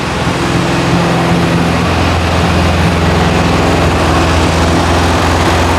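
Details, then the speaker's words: 1968 VW Karmann Ghia with new 1600cc engine (previous one spun a main bearing) during cam break-in at raised rpm: steady, even high-speed drone with firm low beat, no knocks or rattles; running smooth and healthy. "it's running good right now gonna let her cool down we fire it basically I do thermal Cycles so it's sounding happy"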